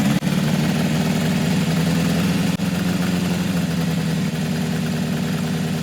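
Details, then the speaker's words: 1980 Kawasaki KZ1000-A4 four-cylinder with leaking head gasket, stripped head bolt, aftermarket flat-slide carbs: uneven lumpy idle with irregular stumbles, sounds like one cylinder down; owner says it runs better warm; misfire. "four better still sounds like one's down"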